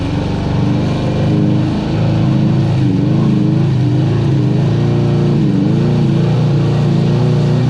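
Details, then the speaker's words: Sea-Doo HX two-stroke jet ski after shaved head raising compression to 120 psi, riding on a cold day: drone with wavering pitch climbing slowly under throttle; sluggish acceleration, cause unconfirmed. "acceleration is pretty sad it takes its time"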